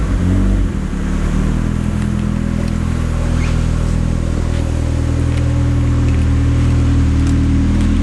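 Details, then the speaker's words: Turbo Miata with Hydra Nemesis EMS, just after a cold start (car last run a couple hours earlier): a steady, even idle tuned a little high, with a smooth low rumble and no knocks or misses. A normal cold fast idle while warming up. "you can see or hear it's reporting rpms and the RPM is tuned a little bit higher when the motor is called"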